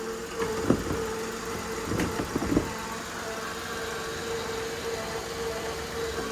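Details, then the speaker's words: Steady thin whine holding one pitch over a quiet idle, with a few handling knocks, coming from a headlight assembly; owner suspects a motor inside the headlight. "and you can hear like a whining [Music] it's coming from in there"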